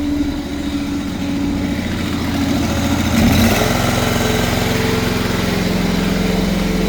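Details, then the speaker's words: Rissler V975 TMR mixer after chain tensioning and oiling: even low rumble of the drive with no squeak or slap, less chain play; normal chain drive running. "mix's running a whole lot less play in the chain um you can hear it's no longer squeaking I got oil on them both of them there you go"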